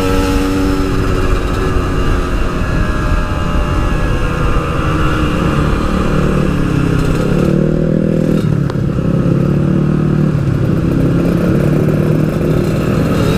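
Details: Yamaha RX King two-stroke, riding after fixing high-rpm stutter, recorded through a half-face helmet with wind noise: high buzzing note pulls cleanly through revs, no stutter or misfire; normal running at high rpm.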